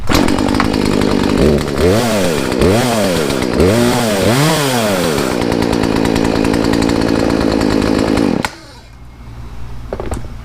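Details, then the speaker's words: Poulan two-stroke chainsaw after new air filter, fuel line, fuel filter and Zama carb rebuild, high and low jets set 1.5 turns out, restarted: fires, revs cleanly several times, idles evenly, shuts off; runs healthy. "Well, it started. See if we'll start back up."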